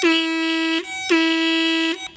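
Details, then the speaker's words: Car horn powered directly with a power probe, ground circuit completed through the probe: two clean, steady honks, each just under a second, strong even tone with no rasp or warble; horn itself works properly. "Now all I have to do is put some power to it, it should honk."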